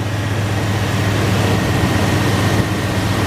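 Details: 1988–95 Chevy Silverado / GMC Sierra 5.0 or 5.7 V8 idling after a new belt and Gates tensioner replaced a glazed belt: steady low rumble, no squeak or chirp from the belt area; belt drive now quiet, normal idle.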